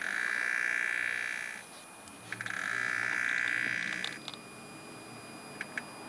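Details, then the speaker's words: BMW N54 electric water pump screeches in two steady high-pitched bursts after pressing the gas pedal for 10 seconds, as it tries to pump coolant into the reservoir; owner believes the pump has failed and isn't pumping. "So I'm pretty sure you guys heard that, but that's my water pump trying to pump coolant into my reservoir."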